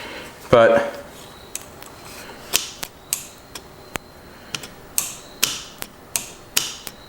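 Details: Cheap used John Deere Gator 6x4 that won't run, fuel shutoff solenoid powered from a battery: sharp, irregular single clicks, about a dozen in seven seconds; the plunger is sticking.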